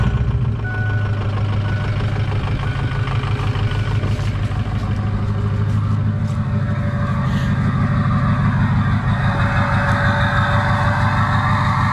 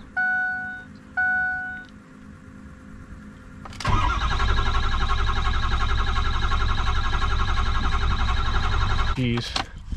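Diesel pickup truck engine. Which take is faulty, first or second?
second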